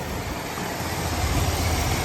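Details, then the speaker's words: 1980 Mercury Zephyr carbureted engine after a carburetor rebuild and timing adjustment: a steady, even idle with no misses or hunting, sounding dialed in. A slight vacuum leak near the carburetor is suspected. "Other than that, she sounds pretty dialed in."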